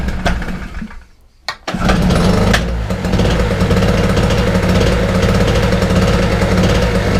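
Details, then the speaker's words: Wolf 950 small two-stroke generator from a job lot, started on choke: buzzes up after a couple of tries and settles into an even, steady run with no misses; normal running. "yeah it's fine so yeah watch at y'all oh it's all good stuff and"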